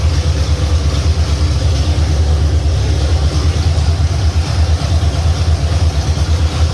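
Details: 351 Cleveland V8 running for the first time on a home-built run stand with shaker scoop fitted: deep, steady burble at idle with even low rumble and no knocks or misses; normal idle.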